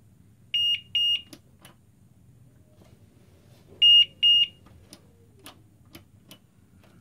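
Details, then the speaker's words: Power supply gives quick bursts of high, sharp beeps every few seconds, signalling a power short when testing a graphics card whose PCB has a short; next step is unplugging GPU power cables one at a time. "Hopefully we can find it, where is the short, because this is my power supply, actually make this sound when it's beeping. It mean there is a power short."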